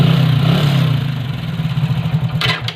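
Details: Hero Splendor single-cylinder after simple fix for kick slipping: catches and settles into a steady, even low thump, fading slightly, no slipping or knocking; normal running.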